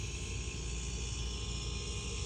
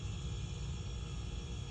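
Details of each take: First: Refrigerator compressor run directly on a jumper lead with control board removed, fan not running; low steady hum and even mechanical drone, no knocking or clicking; compressor running normally, owner suspects start device or board. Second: Samsung 240 V inverter refrigerator compressor run directly with control board removed: low steady hum, no knocking or stalling; compressor runs alone, though it stopped when the board was installed, so the board is suspected; amp draw high.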